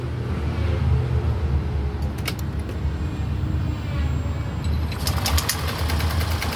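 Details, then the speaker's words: Yamaha Grand Filano scooter, 30,000+ km, after engine rebuild for loud top-end noise from a cracked valve guide and bent valves, running smoothly and revving cleanly when blipped, no ticking or rattle; side covers not yet fitted. "ก็ประมาณนี้ครับเร่งได้ปกติครับ"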